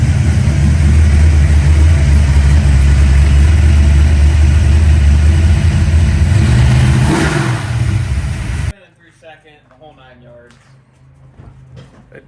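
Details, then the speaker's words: V8 with a stage three cam under acceleration through all gears: deep, even roar pulling steadily with no stumble, hiccup or laboring. It runs cleanly, without the previously reported choppiness. "it runs good I mean no hook no hiccups no laboring like it felt really clean I ran through all the gears pulls really good"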